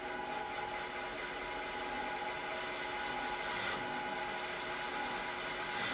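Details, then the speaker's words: Stock GM LS1 cylinder head, from a pro drift car, on a Serdi 3.0 seat and guide machine with extra lube applied: harsh, scratchy cutting rasp with fast uneven pulsing early in the cut as the cutter chatters; seat not yet down to spec. "you can hear that chatter and I wonder how much of that she's got a pretty good seat"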